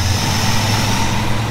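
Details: 1987 Chevy square body truck just bought unseen, reassembled and fuel pressure checked: steady, even low rumble at idle with no misses, knocks or stumbles; engine running smoothly again after repair.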